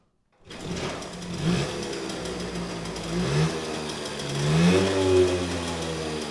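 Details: 1979 Puch Magnum moped two-stroke, first start after about 40 years in storage, fuel fed through a line: it catches quickly and settles into a buzzy, even run, pitch rising and falling cleanly with throttle blips; running healthy.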